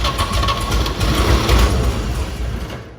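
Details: 1950 Chevy 3100 short-bed pickup, first start attempt in 35+ years after refitting rotor: starter spins engine lumpy and uneven, about three and a half turns a second, a few weak pops, never catches; cranking, no start.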